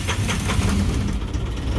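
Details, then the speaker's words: 2012 Isuzu 4JJ1 diesel with intermittent codes 335/336; customer had already replaced the crankshaft position sensor and ECM. Excessively long, uneven crank before it fires and idles. ECM engine speed jumps around and reads about 24 versus about 900 actual rpm. "Oh, there we go. So that was an excessively long crank, and you can see the speeds were jumping around."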